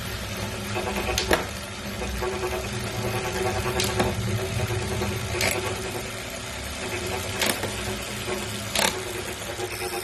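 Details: New Wahoo Kickr V5 smart trainer, a replacement for a Kickr Core that had a clanking sound, making a steady rough grinding under the trainer's whir with occasional sharp clicks.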